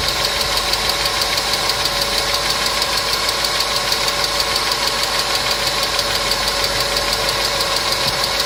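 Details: Engine hydraulic lifters (compensators) ticking: quick, even ticking about three per second over a steady idle; client complained of engine noise, treated with a TOPLIVODAR additive (repeat dose after 500 km advised), after which the noise was reported eliminated.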